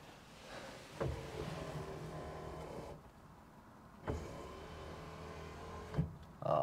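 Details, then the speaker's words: 1969 Cadillac Eldorado with 21,000 original miles, sat about 20 years: two even electric whirs of the power window motor, starting and stopping cleanly; the window works but runs a little slow and needs lubricating. "I roll your window back up a little slow but I just need to be lubricated that's so sweet"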